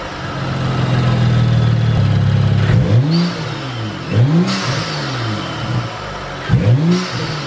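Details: BMW F30 335i N55 after installing BMS Elite Performance cone intake; fires and holds steady idle, then sharp revs fall back cleanly with louder intake whoosh, healthy engine.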